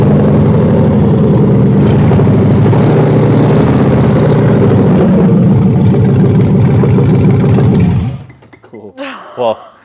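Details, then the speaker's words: New L87 V8 crate engine with 10L90 transmission for an AWD Chevelle, first fire-up in the crate with no coolant: a deep, even rumble with a steady beat, then shutdown; normal idle. "yeah we just put some fuel in it put a little bit of air pressure hooked up the negative and it started right up that's insane"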